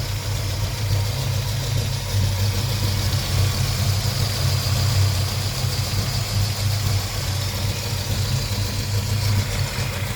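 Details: 1973 Volvo 142 B20 Sport with dual SU HIF6 carburettors; low, uneven idle that throbs and wavers, rough because fuel pressure was too high.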